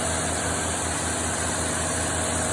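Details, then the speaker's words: 1953 Chevrolet engine idling on a newly installed carburetor after not running for about 22 years; even, steady low rumble with no knocks, misses or smoke, running healthy. "sounds pretty good no smoke at all it's been 22 years since this thing's run"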